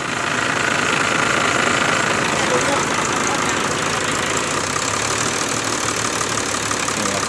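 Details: Idle after a valve-clearance adjustment on an imported engine: smooth, even idle with a soft steady hum and no ticking from the top end; sounds healthy.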